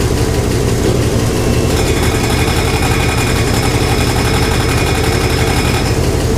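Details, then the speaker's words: 1968 Chevrolet Impala fastback idling on the lift after an exhaust hanger fix: rough idle with a fast, uneven light ticking; owner suspects the fan, and a shiny rub mark shows the fan blades catching the shroud. "that's got to be the fan that's got to be the fan doing that"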